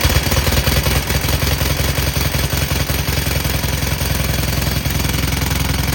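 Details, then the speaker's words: Cub Cadet lawn tractor with Kohler KT17 twin, started without choke: idle with a sharp regular puttering rattle and fast ticking chuff at the muffler, from an exhaust leak at a loose, vibrating muffler end cap. "And I'm exactly right. Right there is the issue. Let's start that up and you'll see how much that's leaking."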